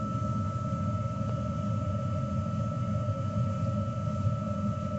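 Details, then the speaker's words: Suburban IW60 tankless water heater running after the dip switch was raised from 108°F to the 130°F setting: steady even burner roar with constant mid-pitched hum, no popping or flutter; normal operation, water steaming hot. "it sounds like in good working order"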